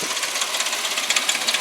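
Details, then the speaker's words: 2004 Mercury Mountaineer 4.0 V6 AWD, 217,764 miles: quick, regular light ticking at idle, steady pace, mild top-end tick attributed to timing chain tensioner springs losing tension and a slightly loose chain, not serious unless it hammers. "springs lose a little bit of tension, so the chain gets a little loose, but it's nothing really major to worry about. If it really starts hammering, that's when you got to worry, but like this, he said it's not that big of a deal. Just a little noisy, that's all."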